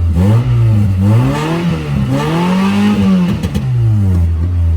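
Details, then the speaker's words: 1997 Honda Accord four-cylinder, sold as having a blown transmission, check engine light on: smooth climbs and falls through several even revs toward redline, no knock or misfire; engine runs healthy. "Little red line for a good time."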